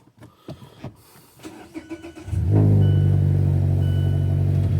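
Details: 2017 Mazda 3 restarted after rear brake pad and rotor replacement and re-engaging the electric parking brake: a couple of seconds of light clicks, then a quick clean catch into a smooth, even idle; no warning lights, healthy start.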